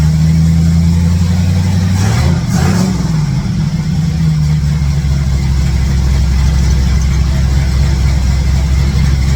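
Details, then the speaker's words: 1967 Chevrolet C10 V8 with ball-seat headers just resealed for an exhaust leak and plug wires refitted: deep even burble with a quick blip, settling smoothly, all eight cylinders firing, no ticking or puffing from exhaust leaks; normal idle and rev. "well see you can't see me hold on it doesn't sound too bad uh I don't know it's burning some stuff off just for my hands touching it and stuff but uh sounds like it's got all eight cylinders"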